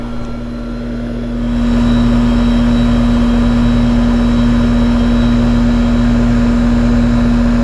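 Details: Trane condenser (R22) after replacing the condenser fan motor: fan spins up and settles into a smooth, even hum with a steady low tone and no rattles or grinding. Normal running.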